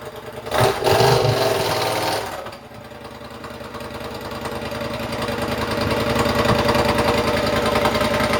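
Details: Triumph motorcycle with newly fitted rebuilt exhaust, first run-up: engine revs up and settles with occasional sharp exhaust pops between blips; running lean because the still-connected air injection system (AIS) causes the popping.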